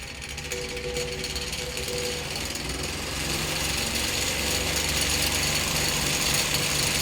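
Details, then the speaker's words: Fan with blades needing a lot of work bounces around while running, fast steady rattling about four knocks a second over a rushing whir; owner fears it will fall apart; shaking, likely out-of-balance blades. "I swear this thing is probably gonna fall apart and chop my head off"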